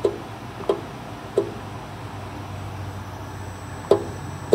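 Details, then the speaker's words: Fiber laser purge gas solenoid valve with 24 V DC verified: sharp clicks, five in under five seconds, but no rush of gas; solenoid energizes yet valve fails to open. "uh you can hear it clicking the solenoid but it would not open the valve to let the gas flow through"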